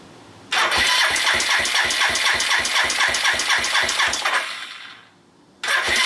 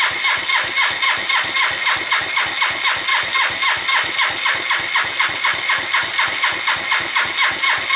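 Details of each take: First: Suzuki GN250 single-cylinder engine starts with a sharp tick about four per second, then stalls and restarts; the earlier crunchy upper-engine noise has become more of a tick after work, and the owner suspects valve clearances and will recheck them. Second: Suzuki GN250 single-cylinder idle after repair of top-end ticking: even beat about four pulses a second, no tick, quiet cam chain, then shuts off; only loose unattached parts rattling; normal idle.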